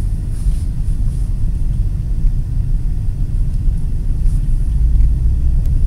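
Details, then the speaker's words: 2008 Nissan Pathfinder V8 at a steady 70 mph highway cruise on smooth concrete, tablet microphone, testing a Volant Powercore cold-air intake and AEM Filter Minder before and after. Deep, steady low rumble with no knocks, ticks or whine, normal engine sound. "yes before and it's gonna probably tell just from the video crews along there's no sound difference at all"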